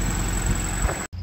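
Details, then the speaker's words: Normal idle of a Honda B16 VTEC-swapped Mini after a steering column rebuild; steady low rumble with an even beat, no knocks or rattles. "So I'm just going to leave it run, let it charge the battery, might bring it on a spin around the corner. Yeah, she still sounds good."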